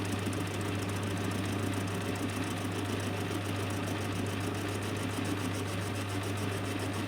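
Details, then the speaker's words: Lathe with a homemade milling jig facing angle, a tenth taken off per pass, the cutter heard hitting both corners. A steady motor hum under even, rhythmic cutting chatter with no squeal or stalling; the face is cleaning up nicely. "Now I can hear that hitting both corners of the angle, so that should near enough be cleaned up by the time I get all the way"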